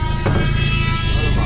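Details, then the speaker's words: Opel Corsa A GSI racecar, first start after more than 10 years standing, restarted after running out of fuel. A short burst of steady, deep rumble with no knocks or misfires; the engine sounds healthy and runs normally. "aber klingt guter Motor ne ich will nicht wissen wer der verbraucht Alter"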